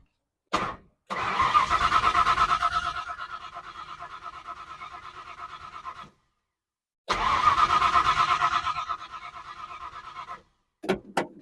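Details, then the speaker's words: 1970 Ford Falcon with 5.0 small-block swap after carb clean: two bursts of steady cranking at about three turns a second with gas poured down the carb, never catching; no spark because ignition wiring to the coil was left disconnected. "well I'm an absolute idiot uh it doesn't do any good when you're cranking it over and trying to get fuel into the carb if your wiring is not hooked up"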